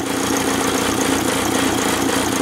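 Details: VW camper with a swapped AHU TDI engine and a new ECU: uneven, lumpy diesel idle with an irregular misfire stumble and white smoke; suspected off pump timing or injectors needing repair, not confirmed.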